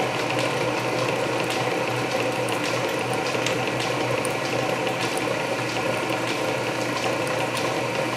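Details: Canedy Otto drill press with freshly re-laced belts, second-fastest speed since loose main drive belt slipped at fastest, small bit power-fed through steel; steady whir with fine gear ratchet and cutting chatter — normal drilling.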